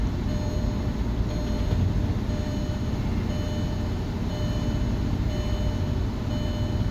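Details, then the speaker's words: 2006 Audi A3 2.0T with uneven, lumpy, shaking idle and no steady rhythm; a scan showed misfires on multiple cylinders, and spark plugs and valve cover gasket are being replaced. Cause suspected, not confirmed. "I scanned this yesterday I had misfires on multiple cylinders you can hear it I was misfiring"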